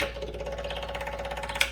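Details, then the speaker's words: Wheel Horse garden tractor with big block Kohler, newly installed electric fuel pump, no return line, primed at 1.5–4 psi: fast even ticking about ten a second, starting high then deepening as it self-regulates; normal. "Did you hear the difference in the sound? It kind of starts off high and then gets deeper."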